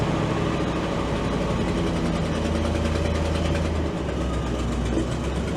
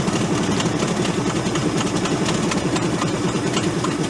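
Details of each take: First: Old auction crane truck with a worn petrol engine: idling fairly evenly with a steady low rumble and no knocks; running better than it has in years; normal idle. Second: Ford F800 crane truck, engine formerly locked up, running only on gasoline hand-fed into the vent and sprayed into the intake: lumpy, uneven idle with a wavering, stumbling firing beat, rough idle from hand-fed fuel before it smooths out.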